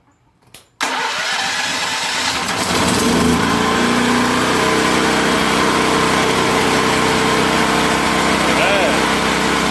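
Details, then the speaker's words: Powerhorse 9000ES generator after fitting a new AVR: starts at once and settles to a steady drone, giving 120 V at all outlets with throttle control now working; normal running after repair. "so as you can see i'm getting 120 out of all the outlets the throttle control even started working when i click it on right here"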